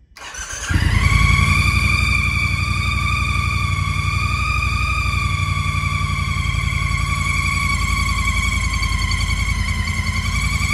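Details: 2017 Triumph Bonneville T120 with 2,000 miles, previously laid down on its LH side, starts and idles with a loud, steady, ghoulish high-pitched whine that seems to come from the RH valve cover area; cause unknown.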